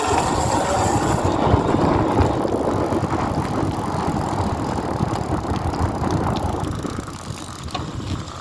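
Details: BeeCool hub motor: rough, gritty, uneven grinding that churns along with the turning wheel, pointing to trouble inside the hub motor.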